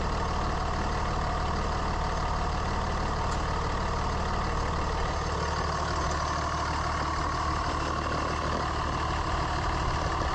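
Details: Constant high howl under steady diesel idle clatter on a 3rd gen Ram Cummins running about 210; owner suspected turbo or fan clutch, stethoscope cleared pumps and turbo: worn alternator bearing.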